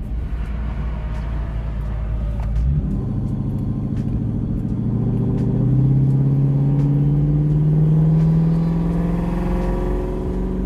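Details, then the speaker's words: Lexus LS400 V8 with rear-mounted turbo, early gentle test miles, driving on a dual carriageway at about 3–4 psi boost: deep, smooth V8 drone climbing steadily in pitch; healthy turbocharged V8 under light boost. "it sounds bloody beautiful [Music] rather a demamp so 3 3 psi what a glorious sound"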